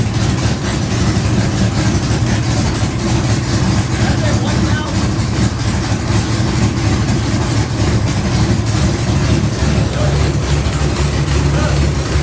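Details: 1980 Trans Am V8 with new Tick Performance nitrous cam and ported intake, run briefly without coolant: deep, lumpy, loping idle with a choppy rhythmic exhaust pulse; healthy, sounding better than before.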